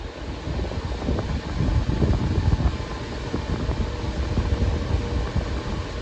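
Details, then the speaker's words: Older Patton fan that had stopped working, revived and cycled through low, medium and high with a screwdriver in place of the switch: a steady whoosh of air with an even low hum on high, no ticking or grinding. Normal running. "he said it stopped working and wouldn't go so uh low medium high"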